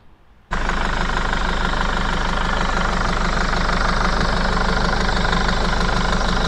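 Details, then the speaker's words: Mercedes Sprinter 311 CDI diesel idling. A sharp, regular chuffing tick, three or four times a second, as the injector leaks compression (black death), shown by spray bubbling. Blown injector seal washer; the repair is to remove the injector and renew it. "I'll start it up and spray a bit of spray there and you can see it's spraying out"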